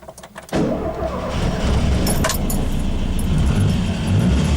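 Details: Ford Fiesta MK1 after replacing alternator bearings that caused a chirp: engine catches after brief crank and runs smooth and even, no chirp from alternator, battery light off, charging; normal engine start.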